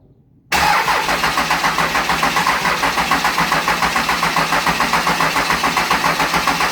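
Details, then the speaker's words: Diesel going into a 1956 Chevy truck, cranked by jumping the starter with a mouse nest cleared from the flywheel: starter turns it over in an even beat of about four per second and it never fires; air in the long fuel lines starving it. "You got a lot of fuel line to pull air out of. If it doesn't go, we'll hit it with some ether eventual"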